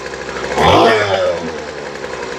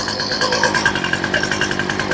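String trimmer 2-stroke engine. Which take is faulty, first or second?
second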